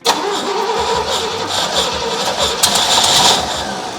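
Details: First start attempt on a 1967 Pontiac GTO converted to EFI with a Haltech Elite 550. The starter churns with uneven chugging and weak firing but never runs. Timing is suspected too far advanced or possibly 180 out, not confirmed. Cranks, no start.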